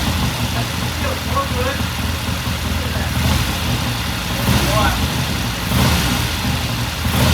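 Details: 1969 Triumph TR6 twin, warm idle after cold start; pilot air screw turned in half a turn after pilot jet cleaned. Steady, even idle with gentle throttle blips settling back smoothly; normal warm idle.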